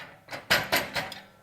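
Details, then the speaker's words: Lawn striper kit just installed on a mower: three or four sharp metallic bangs as the loose striper pin bounces up and strikes the tire; fixed by rotating the pin to point up-down with a 15/16 wrench. "The only thing that I'm concerned with is if this pin starts to jump around. It does jump up jump up and get down. It jumps up and it'll touch that tire."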